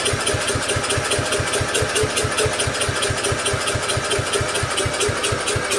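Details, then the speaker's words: Mower engine swap, replacing a 15 hp OHV with a 12.5 hp flathead, first start try with choke on and no starting fluid: the starter cranks at a steady rhythm, about two compression beats a second, but never catches; getting fuel, owner suspects no spark. "Definitely getting gas. Not seem to be sparking. Oh. I guess you could call that a cold start fail, right?"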